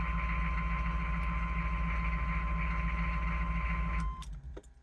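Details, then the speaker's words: Chevy/GMC 6.5 turbo diesel with an aftermarket turbo and an inexpensive PMD, restarted after waiting for the glow plug light: steady, smooth, even diesel idle with no misses or knocks. Runs smooth; normal idle. "fire it up and now the truck runs smooth uh without any issues"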